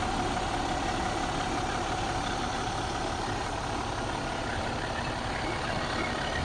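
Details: 2014 MCI J4500 coach with a fresh engine (listed as Cummins, also called Volvo) and Allison B500 transmission, rear engine bay open on a hot day: steady, even diesel idle with a low, constant clatter and no misses or knocks; healthy.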